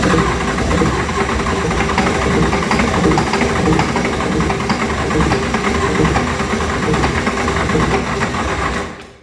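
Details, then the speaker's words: 1970 International Travelette's 6.9 IDI diesel, pulled from the vehicle, given ether on a further start attempt; it catches and clatters unevenly, never settles, then stalls; fuel system not yet gone through, cause unconfirmed. "oh it's so promising and it just dashes all your hopes"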